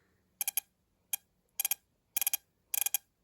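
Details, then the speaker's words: Mopar ignition distributor bench-tested with battery, wiring and spark plug: sharp clusters of crisp snapping clicks in bursts as the distributor is turned by hand; strong, healthy spark, stronger than other systems tested. "Good spark. And it shows our little light doing that, too. Do you listen to that? That's a weird sound. That's a physically stronger spark than any of the other items that I've tested today."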